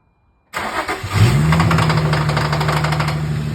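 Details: Infiniti G35 cold start: engine catches and settles into a fast cold idle with a steady light tapping; owner unsure whether rod knock or piston slap, not confirmed.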